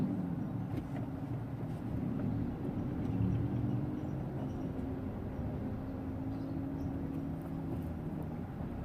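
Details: Hyundai EON: low, rough churning rumble runs steadily under the engine note at low rpm; severe grinding from somewhere in the driveline, cause not yet pinned down.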